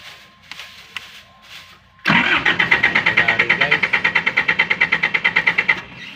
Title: GENERATOR WONT START - HOW TO TROUBLESHOOT. STEP BY STEP. Generator ayaw umandar pano ang gagawin.